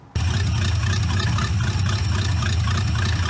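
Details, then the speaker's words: C4 Corvette-based kart V8, starting easily without pumping the gas: it catches and settles into a steady, low idle with an even throb. It runs fine, though it could use carburetor tuning. Normal idle. "It runs, it starts easy. Never pumped the gas to start it up."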